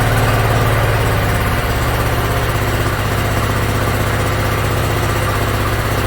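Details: Yard Machines (MTD) 42-inch riding mower engine after carburetor cleaning and freeing a stuck emergency shut-off: steady, even low thrum at idle, no misses, knocks or hunting; runs pretty good.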